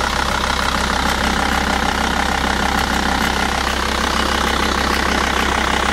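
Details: Volvo V70 TDI (VAG) diesel idling with a fast, fairly even metallic rattle; owner says not the vacuum pump but the timing belt tensioner, suspected, not confirmed.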